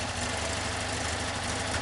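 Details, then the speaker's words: 1973 VW Super Beetle, 1745cc engine, Mofoco 041 heads, hydraulic lifters, Dellorto FRD 34 carbs jetted for 1415cc: smooth even warm idle, no valve train clatter; lifters quiet, intakes audible from above, old gaskets not leaking. "you don't hear any valve train splatter again no valve drink ladder"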